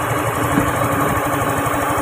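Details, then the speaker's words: Honda Beat FI scooter that sounded rough like a diesel, idling after the faulty part was replaced: steady, even beat with no rattle or knock; engine runs smoothly again. "Mesinnya kembali beroperasi dengan lancar."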